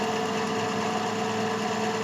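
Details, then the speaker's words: PC (AMD A8, 12 GB RAM) that blinked and shut off, after power supply replacement: constant mid-pitched whirring drone with a rough buzzy edge; cooling fan is noisy, cleaning planned. "Nah, kipasnya suaranya kayak gini nih. Berisik ya. Nanti kita bersihkan sekalian."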